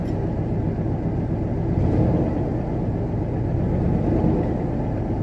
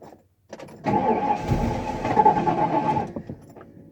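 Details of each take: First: 1994 Ford F250 with 460 V8 and many exhaust leaks, just started after a long hard start with suspected fuel delivery problem: deep, even low rumble, surprisingly quiet, no misses, knocks or ticks; smooth steady normal idle. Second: 1994 Ford F-250, 460 big-block fuel-injected, 95,767 miles, fuel pump left on, smoke from under the hood: about two seconds of steady cranking that never catches. Hard start; owner suspects a fuel delivery problem.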